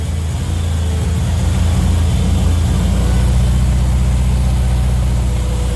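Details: Turner Ranger four-wheel-drive tractor, 1098 A-series petrol engine, sat six months, after cleaning sooted wet plugs, choke off: deep steady low thrum, even beat, no misses or knocks; idling smoothly, battery weak.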